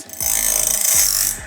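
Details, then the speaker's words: Logosol Grindlux automatic bandsaw blade sharpener with the feeding arm adjusted correctly: about a second of even, hissing grind as the disc touches both the tooth face and the gullet. A correct feed setting. "ah we're almost there just a little turn on the feeding arm as you can hear we are grinding a little bit on the face"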